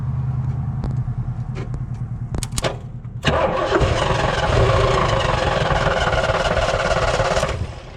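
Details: 1986 Fox Body Mustang 302 five-speed sat 15+ years, NOID light shows no injector pulse: a few clicks then starter spins engine evenly about three to four beats a second for four seconds, never catches; crank no start, ignition problem suspected.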